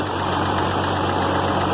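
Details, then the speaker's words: IH Farmall 706 diesel tractor the day after work on the hydraulic filter screen: steady low idle rumble with no power steering whine and no oil pressure light; whine fixed, normal idle. "I have no gravy whiny power steering which is also an really good thing"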